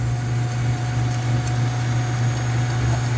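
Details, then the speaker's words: Sailrite LSZ-1 sewing machine after sailboat beaching, dried out and lubed: smooth, steady motor hum at constant pitch with no catching or grinding; machine runs freely, normal running. "Now for the moment of truth. Let's turn it on and see if she functions. It's alive!"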